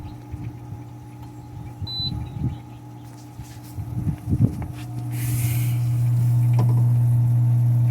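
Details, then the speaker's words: Working Coleman SaluSpa (Lay-Z-Spa) egg, heater button pressed while troubleshooting Error 02 flow warning: after handling noise the pump comes on with a steady low even hum; normal pump hum. "as you can hear from this working egg you can hear the pump come on"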